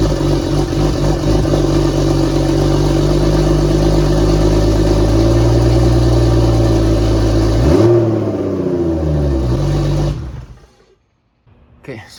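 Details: BMW E36 with budget turbo M52 inline-six, first start after turbo install and new oil feed/return lines: even idle, one clean rev that rises and settles, then shutdown; no knocks, rattles or misses, no oil leaks, normal healthy running.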